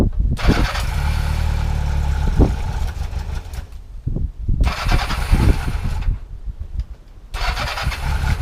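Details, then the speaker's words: Honda Nighthawk motorcycle, cold start at about 15-19°F, full choke, no trickle charger: catches and runs rough and uneven for a few seconds, cuts out, then fires in short bursts and dies; cold start stall. "that wasn't too bad that was full choke and then it uh full choke and it kind of started and then stall I don't know what happened there"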